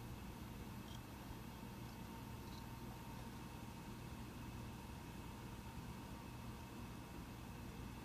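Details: Mac Pro 1,1/2,1 with 32GB RAM under benchmark load: soft, steady fan hiss with faint low hum, no rattle or whine, slight ramp late but still quite quiet; normal fan noise.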